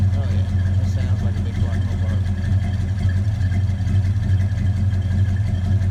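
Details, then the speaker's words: 1970 Dodge Super Bee V8, 50 years old, already warmed up, just after replacing valve cover gaskets (old one was the big oil leak), steering box and fan shroud: deep lumpy loping burble, no knocks or ticks; normal idle. "she's already warmed up a little bit a little lazy but it is 50 years old let's see what she sounds like"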